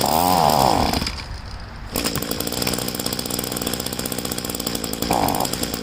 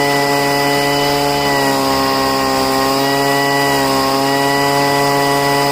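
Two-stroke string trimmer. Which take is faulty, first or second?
first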